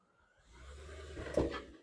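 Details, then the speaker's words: Mercedes W212 E550 4Matic sedan with Airmatic: rolling forward over rough ground, a low rumble then a sharp, snapping clunk from the front suspension, something loose; owner first suspected the thrust arm bushing, which felt spongy. "so from that you can see I was kind of forcing it but that's what we're dealing with it's a clunking sound so that means something's loose"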